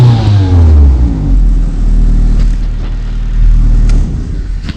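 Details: Honda Civic after rewiring the crankshaft position (CKP) sensor wiring directly to the ECU, which had been causing limp mode: quick blip up falling back to a steady, even run, no cutting out or hesitation; revs past 3,500 rpm, out of limp mode.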